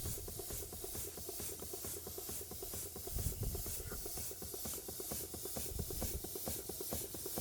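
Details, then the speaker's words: Bing poppit valve steam engine, Version 2: soft, even chuffing about two beats a second with a steady hiss; running smoothly. "haven't run this since I've done the last video, but it's pleasing to watch. So I'll fire it up now and again. Just keeps everything well oiled."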